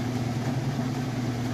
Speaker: it about full speed as you can see it's nice smooth operation sounds great